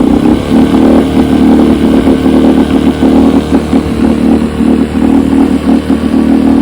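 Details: 1972 Evinrude 9.5 HP two-stroke outboard carburetor, rebuilt and chem-dip cleaned, test run on test motor: steady, crisp two-stroke buzz at even speed with no stumbles or misses; carburetor tested fine, engine running clean.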